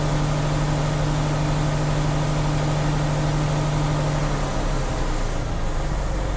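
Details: Tractor-trailer air brake inspection, diesel revved up to refill air to governor cut-out before the three-way brake test: steady raised speed with even low drone and no hiss breaks; compressor filling the tanks normally.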